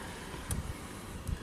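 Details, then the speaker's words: 2005 Chrysler Crossfire at idle after crankshaft position sensor replacement, crank signal about ±40 V; quiet, low, steady idle with a couple of soft bumps, no misfire or hunting; stalling problem fixed, normal idle. "So this car is fixed, at least the unpredictable stalling problem."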